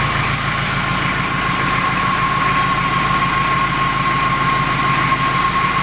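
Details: Toyota Emina/Estima 3C-TE diesel, heard under the car: steady idle with fast light pencil-on-table tapping from a completely worn-out vacuum pump, plus clacking from incorrect valve clearances.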